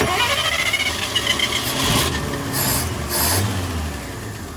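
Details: Hot rod on the road during a tour, cranked while the carburetor is choked by hand with the air filter off; it stumbles and catches briefly with a few uneven revs, then fades before finally idling; fuelling trouble is suspected at the carburetor.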